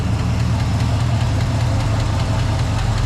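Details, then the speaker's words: 1979 Jeep Wagoneer, AMC 360 V8 with Holley Brawler carb, warmed to nearly 180° after a quart of transmission fluid was added to the oil: a deep, steady idle with a light, quick tap on top. Lifter tap. "You can hear that little tap over here."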